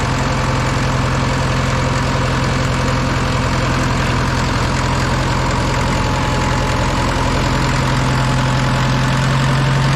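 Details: Old Caterpillar 955L track loader that sat unused in a yard for many years, started on old diesel fuel: heavy diesel holds a steady, even idle at about three or four beats a second with no misses; sounds healthy.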